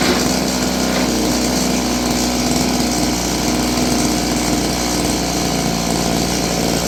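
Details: Roughly 30-year-old Stihl FS56 curved-shaft two-stroke trimmer buzzes high and a little uneven, never settling to a steady low idle. It won't hold idle; the carburetor is suspected of needing work.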